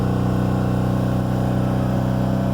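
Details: Subaru Forester after new coil and plugs, ECU faults cleared, new part fitted: right after start-up a loud steady fast drone that never settles, idling far too high; owner suspects defective part, not confirmed.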